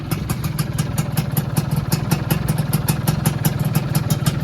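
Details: 2001 Yamaha F1Z-R two-stroke, rarely used collector bike with working electric starter, at neutral idle: even, crisp popping about five beats a second, steady without misses; clean, healthy idle.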